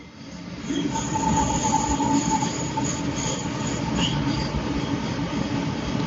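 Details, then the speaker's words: Sonofresco 2 lb gas coffee roaster after roast peaked at 212° and shut off, temperature falling through 195: gas line switched off automatically, only the blower fan cools the beans; steady even airflow with faint whistle, no burner roar, normal cooling cycle. "Now the temperature is going down. That means how this machine cools down is it will switch off the gas line on its own, and then it uses only the fan, that blower fan, that will cool down the beans."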